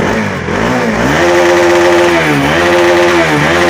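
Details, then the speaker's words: Carbureted vehicle after sensor connector fix, ECU fan wire giving no ground: engine climbs smoothly from idle into rising revs and settles back, even firing, no misses or knocks. Normal revving. "வண்டி ஐட்லிங்கில் தான் இருக்குது. வண்டி rice பண்ணுறேன்."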